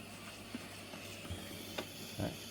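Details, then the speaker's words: Panasonic SR-SPX104 induction rice cooker, a repair for no power, running quick-cook at about 7A: a quiet, steady airy hiss with soft puffs as steam escapes out the back. A leaking lid seal, which also makes rice spoil quickly. "Nó xỉ hơi đấy như đúng như lúc lúc đầu mình nhìn phán đoán không bạnn thấy xì hơi không xì ra đằng sau này nghe tiếng nó phì hơi nó rít ra bên"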